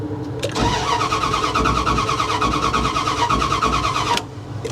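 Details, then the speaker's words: Low-mileage salvage-auction vehicle started via an ignition ground-wire and screwdriver hack. Steady starter cranking at about three turns a second for four seconds, never catching. It shows completely out of gas: crank, no start. "we did get it to crank over though so i mean that's a positive we got to crank over it's got low miles it sounds good um but it also shows to be completely out of gas"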